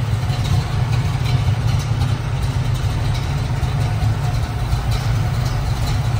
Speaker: let's take a minute and listen to this baby [Music] sounds great